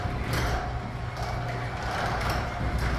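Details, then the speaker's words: Garage door closing under a Konnected GDOv2-S smart controller after its pre-close warning: steady low rumble as the door travels down, even, with no clunks or squeals; normal closing. "Now you see it switch to closing, and you see the door actually closing right here."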